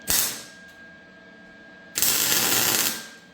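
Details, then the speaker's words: MIG welding tacked c-notch on a chassis: short, ragged crackling bursts that stop and start instead of a steady frying buzz; suspected out of shielding gas, though the gas tank was new. "a minute now. Sounds like you're out of gas, doesn't it? Sorry for taking off so quick, but that was a new tank of gas, and I'm not having it."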